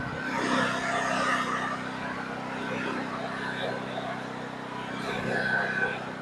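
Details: Titan Industrial generator about 20 years old, stored unused six to eight months, after cleaning and no-start service: steady, even engine note with a smooth low drone, no misses or knocks; running cleanly and quietly.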